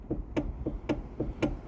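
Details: Kia Ceed steering wheel rocked by hand: quick hollow clunks, about four a second, from play caused by a worn coupling/damper on the electric power-steering motor; the steering can jump while driving.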